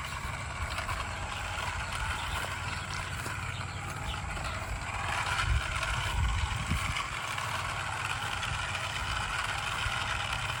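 Steady rolling rumble with light rail clicks at an even pace; the garden train runs smoothly round the loop.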